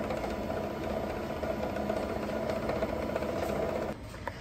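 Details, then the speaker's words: 1923 ringing machine motor generator: steady motor hum with light rattling tick about three times a second fading as it coasts down; worn leather coupling behind the plate, quieter when pressed. "if I put pressure on here to take up that wear take up that play in the leather coupling the noise quiets down a lot"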